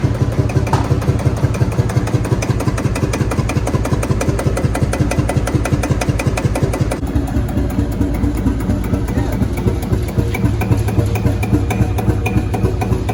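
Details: Field Marshall Series 3A single-cylinder diesel on its first start after a rebore and oversize piston, fitted after a piston ring snapped, likely from bore pitting. Steady, even beat with a solid low thump and no knock or miss; normal running, better than before.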